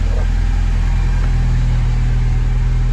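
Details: Porsche 944 engine after a cambelt change, with a new alternator (charging at 14–14.5 V) and new injector O-rings now dry: deep, steady idle hum with an even beat and no whine, knock or flutter. Normal idle after repair.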